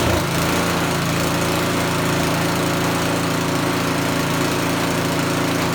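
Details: Small single-cylinder snowblower engine test-run after choke-and-pull start, fuel line connected, before full reassembly; steady, even buzz with no misses or knocks. Running normally.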